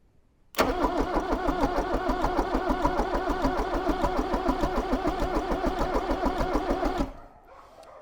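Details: Range Rover Classic barn find with a rebuilt 2.5 VM diesel just fitted and a faulty relay bypassed by wire: even starter cranking at about three compression beats a second, never catching; cranks but will not start.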